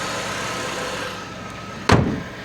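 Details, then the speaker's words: Auction car at idle with the air conditioning off and the cooling fans not running: quiet, even idle with a steady low hum and no knocks or misses; one loud thump is a door; runs great. "Um, air conditioning is not on. Obviously, cooling fans aren't running, but listen to this thing. It runs great."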